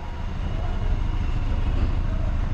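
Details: 2020 Toyota Rush, previously in a collision, exhaust heard at idle: deep rumble with uneven lumpy beat and dropped pulses, engine shaking; scanner reported misfire on cylinder number 4, ignition coil being checked.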